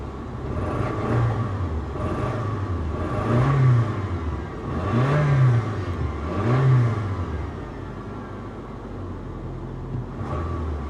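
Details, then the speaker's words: V8 BMW X5 bought at salvage auction: engine revs rise and fall cleanly with no stumble or skipped beats; runs smooth, misfire gone. Battery light sometimes comes on. "it's actually running perfect now guys it's not misfiring anymore"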